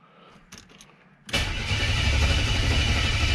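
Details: Buick WE4 that stalled at a light and wouldn't restart: after a replacement part is fitted, the starter spins the engine with an even churning beat but it never fires; crank-no-start, later traced to the cam sensor.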